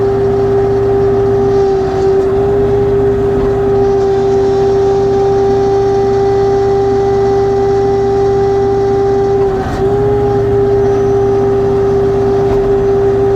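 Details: LS XR3135C tractor: strong steady mid-pitched hydraulic whine over the engine, dipping briefly twice; noisy hydraulics persist after two dealer visits, cause not found.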